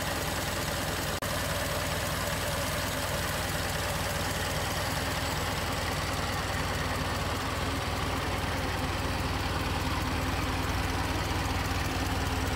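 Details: 1920 Ford Model T barn find, first start after teardown and reassembly: steady, even putter at idle, about two and a half beats a second, with no stumbles. It now runs cleanly.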